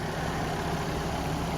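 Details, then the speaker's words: Steady low idle with a smooth, even burble and no knocks or misses from a Ford Ranger warming up cold outdoors; normal idle. "all right guys i got it started up just getting her all warmed up"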